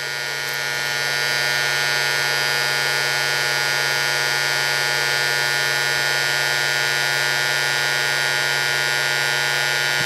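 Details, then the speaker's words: Induction heater melting a steel slug: after the relay pulls in, a steady buzzing hum with a high whine holds constant for ten seconds; edges melt around 16 seconds before the thermocouple controller cuts out; normal operation. "when you hear the relay pull in that means the unit is energized and there we are we're at 51 or 52"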